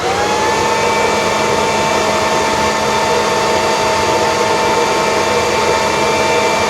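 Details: Kirby vacuum (G6 or Heritage II Legend) after refurbishment, airflow test with brushroll spinning, new HEPA bag and 50 ft cord, grease warming in: steady high-pitched whine, constant airflow, no rattles; higher pitch credited to properly seated commutator and brushes.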